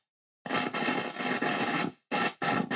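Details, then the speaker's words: Vox AC15C2 amp, normal channel volume knob rotated: crackly, gritty bursts cutting in and out with silent gaps; scratchy volume potentiometer. "scratchiness on the normal volume rotating the volume control for the top"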